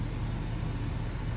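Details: 2022 Chevrolet/GMC 2500 Duramax diesel idling just after a fuel filter change and priming. Steady, even low diesel rumble with no knocks or misses: a settled, healthy idle.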